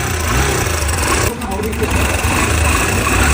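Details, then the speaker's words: Motorcycle idling with a loud, busy metallic clatter; timing chain loose with play felt by hand; timing chain rattle at idle. "这种声音，一般都是这种链条松了导致的。"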